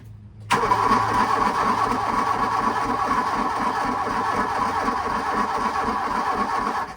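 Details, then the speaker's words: VW MK2 Scirocco 16V sitting 20 years, dead fuel lift pump just replaced: starter drags the engine in slow, even chugs without firing; cranking weak and slow, owner suspects from not turning over in years. "it just it just to me it's kind of weak of cranker yeah it's like weak like it just it should be that that pace should be faster"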